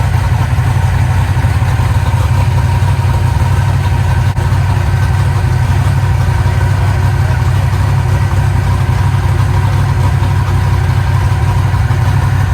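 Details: Eagle Talon rewired and converted from Pro EFI to Holley, running cold: a deep, steady idle with an even low rumble and no stumbles or misses, hitting on all cylinders now.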